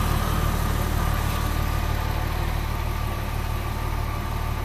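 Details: 2000 Porsche 911 Carrera 3.4 L flat-six idling around the AMSOIL engine flush and 5W-40 synthetic oil change: a smooth, even idle with a low steady rumble and no ticking or knocking. It sounds healthy.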